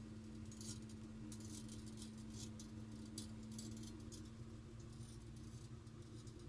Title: Ticking noise from boiler pipe